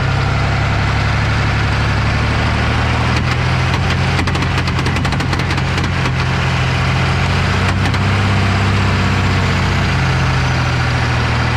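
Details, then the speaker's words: 2003 Dodge Ram 2500 Cummins 24v, 5-speed manual, NP271D transfer case in four-wheel drive: a steady diesel drone with bursts of rapid clattering slaps as the stretched chain slips. "it does give you a little bit of traction because it's not completely slipping [Music] but that's what it sounds like you really don't want to drive it like that too much you end up with a bunch of metal shavings in there"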